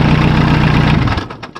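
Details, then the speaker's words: Massey Ferguson Super Pony tractor diesel after a spi (oil) seal and timing repair: about a second of steady, even low chugging, then it winds down, with no knock or misfire. The spi seal isn't leaking; the rocker cover gasket was tightened. Normal idle. "Non bah ça a l'air de marcher. Ça a l'air de fonctionner."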